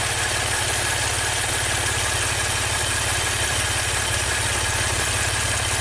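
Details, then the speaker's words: 2016 Maserati Ghibli Q4 twin-turbo V6, 60k miles, cylinder drop test with bank 1 (cylinders 1–3) coils unplugged: a steady, slightly lumpy idle with no change, so that cylinder and bank are already dead. "This bank is dead. Let's get a pressure transducer out and see, compare bank to bank."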